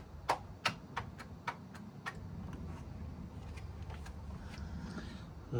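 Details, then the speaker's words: Cheap non-running 12-year-old high-mileage Vespa GTS300, low on oil, first start attempt: a few sharp single clicks about every half second, no cranking; owner hopes for a flat battery, fears motor locked up. "didn't sound too hopeful. Hopefully it's a flat battery."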